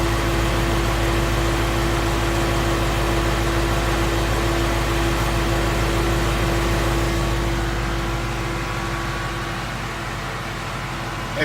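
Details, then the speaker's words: 2016 Ford Mustang Coyote V8 at operating temperature, 1,000 miles after oil change: even, smooth idle with a steady low rumble and no ticking or knocking; owner says very smooth and quiet, nothing out of the ordinary. "can hear it is a very smooth running motor nothing seems out of the ordinary"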